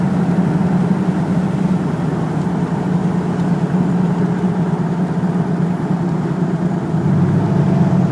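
Engine idles and revs with a rough, uneven low thrum that never settles smoothly; sounds like a misfire, cause not yet pinned down.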